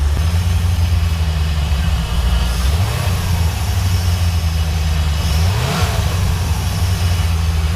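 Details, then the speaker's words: 1991 C4 Corvette V8 just after replacing TPS and idle control valve, started: deep, even idle with two clean throttle blips rising and settling smoothly, no misses or knocks; sounds the same as before, good. "So let's get the car started here, see if I can tell any kind of difference at all. So far, she sounds the same, which is good news."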